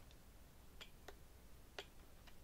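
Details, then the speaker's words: E-Flite Apprentice S 15e RTF transmitter, trim clicked close to the microphone during first radio test: a few crisp ticks of the same pitch as trim steps off centre, the centre giving a different tone; normal off-centre clicks. "you can hear a different tone when you click it so I'm gonna click this up"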